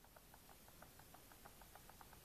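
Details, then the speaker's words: RC car after reinstalling motor screws, pinion held and spur gear rocked by hand: faint quick light clicks, about six a second, from a very small amount of gear lash; normal gear mesh play. "hold the pinion and a spit spin just spin the spurs slightly just rub it if you like and if there should be just the smallest amount of play you can hear it clicking"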